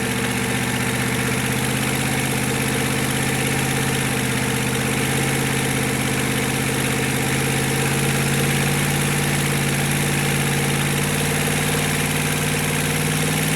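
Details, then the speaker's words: GEP/Navistar 6.5 diesel with Stanadyne DB2831-4911 pump and new injectors on a run stand, warming toward 180°F, good oil pressure: smooth, constant idle with a steady low drone, no knocking or uneven beats; healthy warm engine. "And you guys can see that the oil pressure is good on this thing. I'll leave the camera there for a couple of minutes and let it idle just so you can see that."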